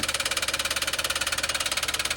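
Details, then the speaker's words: Toyota Wigo that swallowed water: sharp, evenly spaced metallic knocks about fourteen a second over the idle, from a bent connecting rod. "basta connecting rod lang nadadali niyan >> ang ano niyan sir connecting rod lang"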